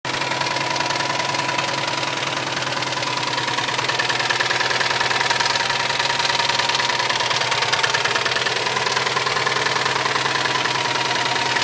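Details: Subaru STI turbo petrol engine idling: steady rapping knock about three a second; cause found to be a melted piston.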